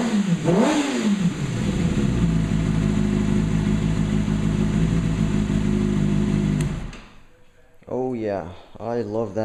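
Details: 2008 Kawasaki ZX6R inline-four first run after valve clearance shim adjustment; revs up crisply and settles to steady, even note with no ticking or clatter; successful, healthy engine.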